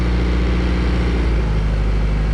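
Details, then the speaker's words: 1999 Chaparral 180 LE bowrider with Mercury 3.0L four-cylinder, started after six months stored in a shed, idling back: steady, even low rumble with no knocks or misses, sounds like it's gonna idle just nice; normal idle. "sounds like it's gonna idle just nice"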